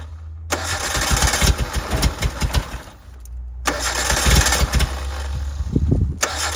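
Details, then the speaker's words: 1988 Suzuki Samurai parked since the late 1990s, gravity-fed: it catches, runs ragged for seconds, then sags and dies. The owner suspects it struggles to get fuel. "Pretty cool, it starts up though, huh? I just think it has a hard time getting fuel into it."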